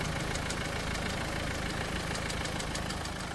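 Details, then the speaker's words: Renault Duster engine, bonnet open, before oil treatment; light quick ticking about three a second over a steady idle hum, heard only at idle and gone completely above 2000 rpm; owner calls it slight knocking, no major engine work, cause unknown. "पण हा sound थोडासा गाडी running condition मध्ये असताना आयडलिंगला तेव्हाच येतो गाडी 2000 RPM च्या वरती गेल्यावर हा साऊंड पूर्णपणे बंद होतो आयडललाच हा साऊंड येतोय"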